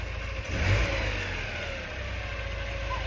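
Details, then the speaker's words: Porsche 944 during restoration, first start after new crankshaft position sensor: after tapping on a misfiring injector, engine revs and settles into a smooth, even run with no stumble or missing beat. "I know. I'm like, look, that works so far. You know, >> it literally sounds fine now."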